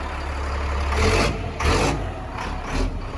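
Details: Cat 3126B diesel after HPOP (high-pressure oil pump) replacement, initial startup already cleared most misfiring and air: steady low idle with a few whooshing surges over it, no misfire or knocking; normal diesel idle.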